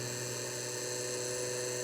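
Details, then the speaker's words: eMachines T2240 desktop (circa 2003–2004), newly installed video card's small cooling fan: steady low electrical buzz instead of a smooth whirr, rough and buzzy but still spinning; buzzing fan. "fan sounds nasty but it is working that one's a little better but it's still really buzzy"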